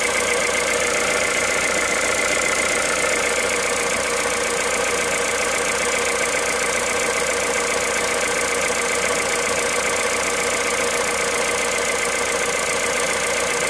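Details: Cold engine at idle, 65,000 km, 0W30 Total Ineo ECS oil: quick, fairly even ticking clatter over a steady hum, speed unchanged; cold-start noise, cause unclear.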